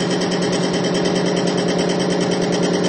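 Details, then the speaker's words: Bearing lubricity test rig in diesel with Bi-Tron conditioner, under about 250-350 pounds of load, several times plain diesel's 50-pound failure point: even, steady whirring with light patter, no grinding or screech, getting quieter and not seizing. "can hear it's actually getting quieter and quieter the longer we go in this test."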